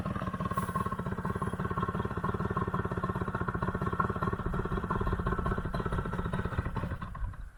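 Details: One-owner barn-find Puch Maxi two-stroke moped, previously bogging above half throttle (wrong jet size suspected), now fixed: crisp, even buzz at full throttle while riding, then easing off; runs cleanly.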